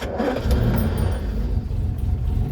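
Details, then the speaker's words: Land Rover Series 3 109, 2.6 six-cylinder, probably still warm from earlier use, carburettor needing choke and fine-tuning: catches first time and settles into a steady, deep idle, revs a bit low while oil pressure builds. Healthy start. "that's it starting first time and that's exactly what i wanted right guys hear that the revs are a bit low but the oil pressure is building up"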